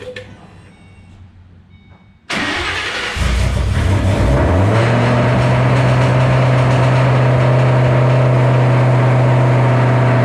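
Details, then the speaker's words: 2007 GT500 supercharged V8 on its first start after installing L&M NSR cams. The starter whirs, the engine catches and flares, then holds an unusually high, steady idle on the initial Venomous Tuning tune; a later tune revision brought it down. "pretty much you saw the car start up idled real high let it go i was looking around at stuff"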